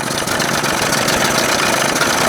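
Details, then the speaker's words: 1981 Evinrude 20 HP outboard: loud, ragged two-stroke idle with uneven stumbling pulses; carburetor butterflies closed too far and need opening slightly; rough idle. "look at that, that's terrible. That's why I said, you got to open these butterflies up a little bit."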